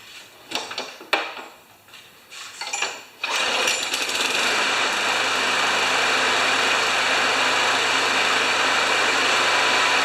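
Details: John Deere JS30 mower, Briggs & Stratton Quantum engine, after sitting, refuelled, started on the stand: after some clatter it fires and holds a steady, high, even buzz without stumbling; normal running.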